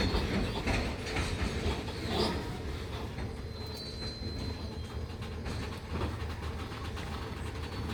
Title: Wagon Loaded With Heavy Coal Produces rattling and squeaking sound While dearting